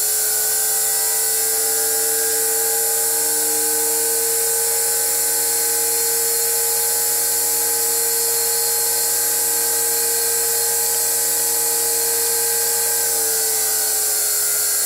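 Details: Motor driven by a VFD inverter, turning stones: steady high whine with an even tone, no rubbing, knocking or rough bearing noise; normal running.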